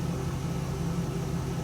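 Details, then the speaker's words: Stock 2002 Pontiac Trans Am WS6, after new spark plugs fixed a misfire: smooth, even low idle hum with no stumbles or skips, running clean on all cylinders. "yeah needed new plugs it's running so smooth now God brand new brand new"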